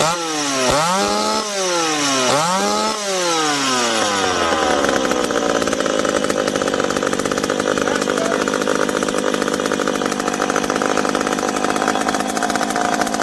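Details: McCulloch PM700 chainsaw, freshly ported, first run after fuel tank refitted: revs cleanly up and down, then holds an even, strong pitch while cutting wood; healthy, now needs break-in running.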